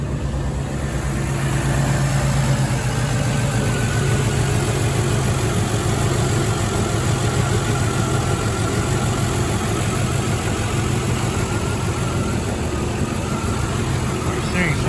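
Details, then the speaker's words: Mercedes W124 E420 (M119 V8) first start after power steering reservoir seal and hose repair; smooth, steady low idle with no stumbles or ticks while warming up for a few minutes. Normal idle. "good it's idling fine all right I'm gonna let it warm up for a little bit see how it's doing and I'll check back with you guys all right guys from idling for a few minutes sounds nice and smooth now"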